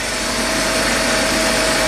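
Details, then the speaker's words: 1999 Chevy Astro AWD van, 52,000 miles, after finding no flow through the fuel injector: even smooth idle with a steady tone, no misses, stumbles or knocks. "turn the key on make sure we have no fuel [Music] leaks like butter amazing"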